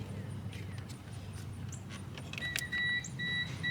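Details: Old junk car, engine off, key on before cranking: clean high-pitched electronic beep pulsing repeatedly; warning chime of unknown cause, car then started.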